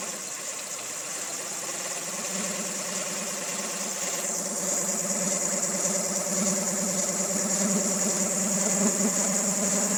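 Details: 2000 Honda Civic EX with rebuilt D16Y8 engine, mechanical timing dead on: uneven idle with busy top-end clatter about three beats a second and a faint high whistle; owner suspects cam pulley, timing tensioner or a bearing.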